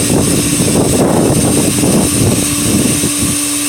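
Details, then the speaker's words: Pool pump on its first start of the year, feeding a D.E. filter with the multiport on filtration and the filter air vent open: steady motor hum over gurgling, sputtering water and air while it catches prime. Normal priming. "Now we have to wait for the pump to catch prime because we just added and admitted a lot of air to the system. We're going to wait until water starts shooting out."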